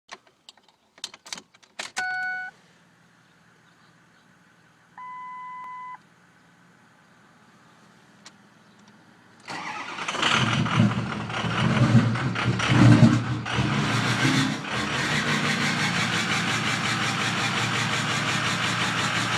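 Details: 2005 Ford F250 6.0 Powerstroke diesel, 150k miles: after dash chimes, cranks and catches roughly, stumbling into clattery rough idle; FICM voltage read 20 V or lower versus normal 48 V, bad FICM.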